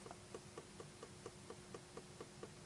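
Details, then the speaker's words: Gemstik joystick dome switch pressed loose on the table after removal from the old tape, with tarnished contacts noted: crisp, even clicks about four per second. This dome clicks fine, unlike several others that don't. "That one's absolutely fine. That one's clicking."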